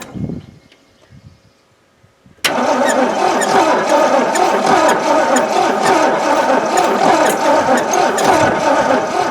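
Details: 1980 Jeep J20 pickup sitting abandoned for 13 years, on old gas: starter turns the engine over steadily at about four beats a second but it never fires; cranks, no start. It later ran with gas poured down the throat.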